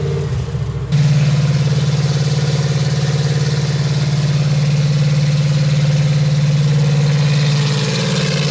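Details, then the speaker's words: Brand-new fuel-injected 350 Chevy V8 on first run, RPM brought up slightly under light load, 18 in vacuum, 60 lb oil pressure: steady, even idle with a smooth low rumble and no knocks or misses. Motor judged to sound fine; normal idle. "Come back after lunch. probably sounds good. Yeah, I think motor itself sounds fine."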